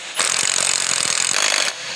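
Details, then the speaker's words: 2014 Chevrolet Silverado front CV axle replacement: the impact wrench runs a fast, even hammering rattle for about 1.5 s, snugging the axle bolt until the tone changes, before final torque with a drift pin. Normal impact wrench operation. "And you can even hear the tone difference in the impact. Now that we've taken up all the slack in the bolt, we're gonna torque this down to spec, again with our drift pin in here."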